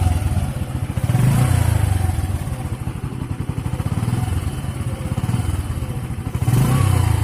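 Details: Bajaj CT 100 ES motorcycle at 4,891 km, shown for choke adjustment; small single thumping at a steady quick putter with a brief rev blip, even and clean: normal idle.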